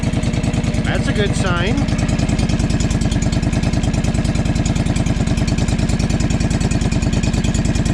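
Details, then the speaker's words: John Deere 445 riding mower, just refilled with 1.5 quarts of oil: steady, even thumping about three pulses a second without stumbles or clatter; idles smoothly, though blue smoke follows at throttle. "get my oil out of here just in case so sounds pretty good"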